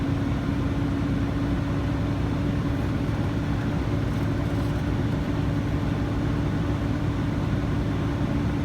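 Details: Truck air brake pretrip test, diesel idling while the air compressor builds pressure: steady idle with even hum, no knocks or hiss bursts, compressor charging normally; it cut out at 110 psi, primary needle never exceeded 140.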